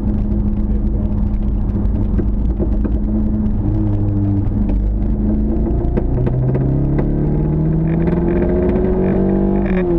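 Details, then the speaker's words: Mk1 Fiesta XR2 with Jenvey throttle body and Omex 600 EFI: lumpy, uneven beat under throttle. Misfire blamed on the injectors pointing down, one cylinder getting too much fuel at low speed; number one plug cleanest. "so the the fuel rails in here the injectors are pointing down there and that one's getting too much fuel at low speed"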